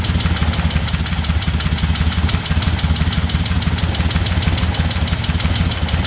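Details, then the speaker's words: 1975 Moto Guzzi twin after revival, started at about 40°F on choke: deep loping steady beat about three pulses a second, no knocks, vibrating mirrors loose; normal idle before gearbox oil change. "It vibrated those ugly mirrors loose, so I gotta tighten them back up."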